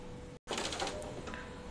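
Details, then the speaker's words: Epson L15160 printer, about 350,000 prints, timing belt previously replaced, printing first page at high quality: steady hum with rough crackly scratching bursts as carriage moves; table lines print crooked and ghosted. "teman-teman bisa coba dengarkan ya Ada suara krekkrek gitu kan Ini cetakan pertama ini pakai kualitas yang high ya tuh ada suara kasar ya"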